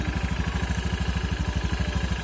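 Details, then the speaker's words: Scooter just reassembled with reused CVT rollers and cover bolted back on, kick-started first try: steady low idle thump, even pulses about fifteen a second, no belt-drive rattle or slap; runs very smooth, normal. "Nyalakan Wi hanya kali starter kaki langsung nyala Coba kita"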